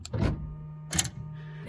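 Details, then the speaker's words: 1999-2004 Honda Odyssey sliding door, triggered by remote: a short motor buzz with clicks inside the door as the release actuator pulls the lock release cable, which is normal operation; no noise here means the motor is bad. "If you're not hearing this noise in this location, this motor is bad."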